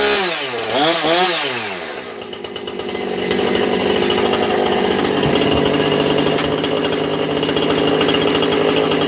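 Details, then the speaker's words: Husqvarna 460 Rancher chainsaw, newly bought, first fuelled start with the bar it came with: quick revs then a crisp, steady high-speed scream, no stumbling; runs well out of the box and seems already tuned. "Sounds like it's running really good right out the box. So, that's that's nice. It came with the bar on it. It sounds like it's already been tuned."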